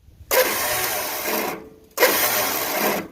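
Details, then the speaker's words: Yard-Man 13785L riding tractor, Briggs & Stratton two-cylinder engine, starter under the side: two short bursts of high, free whirring with no cranking. Starter spins without engaging the flywheel; suspected stripped drive gear or gear stuck down. "it sounds like the telltale sign of an opie starter that ate the gear off the top"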